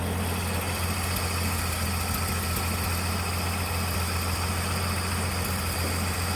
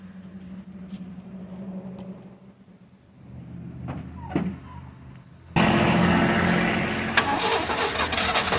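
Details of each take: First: 1979 Ford High Boy truck after carburetor mixture screw adjusted (backed out a quarter turn): steady, even idle with firm low rumble, no hunting or stumbling; now sounds better, normal idle. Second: 1979 Ford High Boy truck, first start after tackling a bad carburetor, priming with gas and new fuel pump: cranks a few seconds, then catches and runs with uneven lumpy beat; rough running, carburetor mixture needs adjusting.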